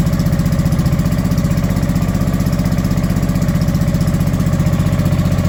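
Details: Honda Deauville NT650V5 just started cold after carburettors were removed and refitted with new carburettor rubbers, idling quick and even well above normal on lots of choke, no misses; mixture and timing still need adjusting.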